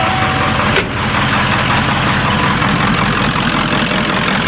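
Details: 1996 Ford F-350 7.3L Powerstroke diesel, first start after converting to an electronic frame-mounted lift pump: loud, steady clatter at an even idle with no misses or surging; normal idle.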